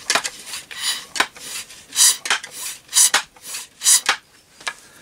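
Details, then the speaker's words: Setra pump-up air rifle during reassembly after repair, before valve housing refitted; clean firm rush of air each stroke about once per second, no squeak or leak hiss; normal pump stroke. "so now I can actually pick that rifle up and pump air and you can actually hear that pump working"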